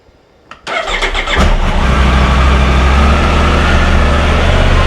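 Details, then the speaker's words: Motorcycle with a battery just over 2 years old reading 12.4V (about 60%), with starting problems: a few slow, hesitant starter turns before it catches and idles. Owner suspects the battery needs replacing. "Not exactly an immediate press and fire up. It was a press and a slight think about it and then fire up."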